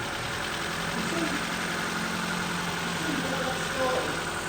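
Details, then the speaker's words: Used breaker-yard replacement engine for a Ford Fiesta, first start on a battery charger: fires within a quarter turn on the first flick of the key, then holds a steady, even idle hum with no knocks or misses; normal idle. "First flick of the key. I mean, that engine hardly turned over quarter of a turn and it fired up."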